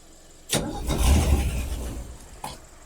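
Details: Ford Falcon being brought back to running, choke pushed closed and extra fuel added: short bursts of cranking with a single pop and no catch or sustained running. Cause unconfirmed.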